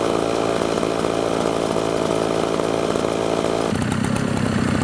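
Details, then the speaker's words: Redmax blower after carburetor replacement tune-up, running at steady speed: even two-stroke buzz with no stumbles or surging, fires right up and runs smooth; idle initially slightly high, adjustable with idle screw. "running really smooth right now fire right up"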